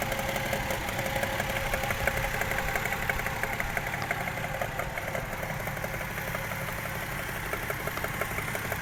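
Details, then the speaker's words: Toyota 1JZ-GE at idle with new spark plugs: a steady light ticking knock about three per second over an uneven idle with rpm dips. Cause unknown; checking camshaft tightening is suggested. "в этой части подозрительный стук. И подрагивают обороты. Как будто просадка в оборотах."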